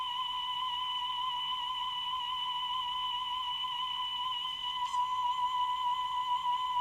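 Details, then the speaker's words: Repaired Grundig Stenorette 2070 Steno-Cassette dictation machine playing a test tone: steady high tone with a slight slow pitch waver. Speed is within a couple of percent; mild wow and flutter, fine for dictation. "so let's now listen to that tone I'm sure it'll sound dreadful I'll do a whirl flutter test on it later"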